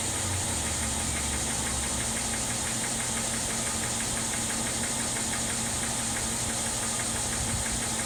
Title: 2012 ML 350 engine knock sound.